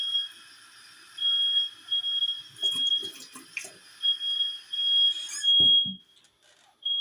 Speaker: So now the nitwit neighbors are setting off the smoke alarms in the hallways, as you can hear. That's outside my apartment. Only in the hallways.